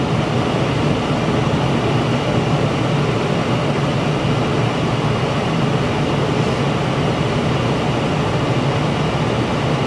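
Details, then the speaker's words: Heil furnace after burners shut off and sequencer clicked, amp draw gone: steady smooth rushing air with low hum, no knocks or rattles; blower running on normally before cycling off. "Amp draw is gone. Blower is still running. We'll wait for the blower to cycle off."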